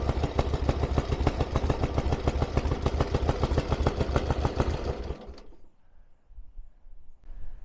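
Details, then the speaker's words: 1000cc Ironhead Sportster after carb setup: warm idle with a steady, even loping beat of about 200 per minute, no misses or rattles, then switched off; it seemed slightly lean when cold and under acceleration. "I am absolutely over the moon without that ticks over lovely once it's warmed up I thought it was a bit lean to begin with but when it was warm it seemed alright"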